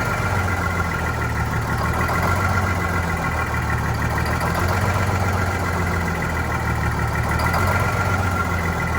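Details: Vintage diesel bus on a very cold day, low idle chugging unevenly with irregular beat and no steady rhythm; rough running after fuel hose replacement and re-priming, likely air in fuel.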